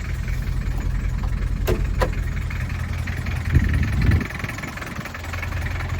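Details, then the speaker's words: 1979 Toyota Hilux 2WD diesel pickup (RN30/LN30/LN40), imported to the UK from Thailand: steady diesel clatter at a slow, even idle a touch low; runs smoothly but idle needs adjusting up. "there you are you can hear that little old diesel rattling away um runs really nice uh it's idling a little bit low so I need to adjust that"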